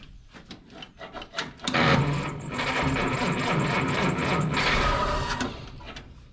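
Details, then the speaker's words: 1955 Willys Wagon, flathead six believed 226 Super Hurricane, long unrun, battery freshly charged: slow dragging four-second crank with no firing; starter labouring and smoking, likely worn out. "the starter does not sound happy anymore no she's smoking too it's probably she's probably done right right there"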